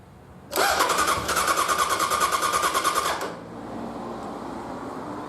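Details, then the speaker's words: 1100G motorcycle cranking on a new Kinetik LiFePO4 battery replacing lead acid, starter shorted across to test, not meant to start. Quick, even starter whir with steady compression pulses about three per second: strong cranking, seemingly faster than the old lead acid battery. "right that was cranking pretty damn fast I'm thinking that cranks faster than all that acid battery"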